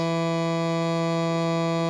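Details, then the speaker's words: 1975 JVC 9407LS radio cassette player on cassette playback: constant low, even buzzy hum throughout; suspected to come from the record switch, to be examined later. "Okay, I think that's something to do with the record switch. What's making this doing that humming noise, but I'll have a look at that later."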